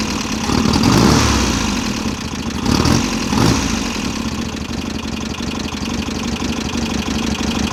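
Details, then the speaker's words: VW Type-3 Fastback air-cooled flat-four, first start after reinstalling the engine with its loose heads retightened: an uneven idle with light rapid ticking over the exhaust note. The owner suspects he misadjusted the valves; the clearance needs resetting. "Valves are a little noisy. I probably messed up when I adjusted them, but it's running. Valves are definitely noisy."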